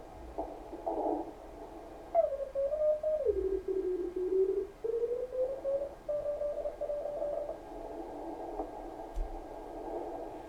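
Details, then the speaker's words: Kenwood TS-520 receiver after power cord replacement, receive check; receiver hiss narrowing with a thin tone sliding as tuned, switching to CW clearly narrows bandwidth, CW filter working normally. "Sounds like the CW filter works. Mostly because See how much more wider that is? If you go to CW, you can really tell it narrows it down."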